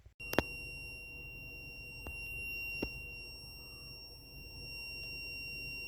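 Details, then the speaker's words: Older Volkswagen Passat: steady, piercing high-pitched whistle over low cabin rumble with faint clicks, appearing after the car starts moving following first start; stopping and restarting the engine makes it go away; cause unknown. "Тоже Passat, годами немножко постарее, чем мой, появляется странный писк после того, как машина начинает движение."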